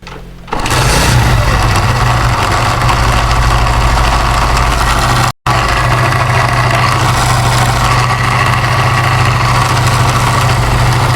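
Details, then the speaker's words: Motorcycle engine running with a fast, uneven rattling clatter; the cause is a loose stator coil rubbing the flywheel magnet, not internal engine wear. A mechanic had said the engine must be opened, but the fix needs no engine teardown. "सुन रहे हैं आप, कितनी ज़्यादा बुरी ये आवाज़ है। अब मैं आपको बताता हूँ कि आवाज़ आ किस चीज़ की रही है।"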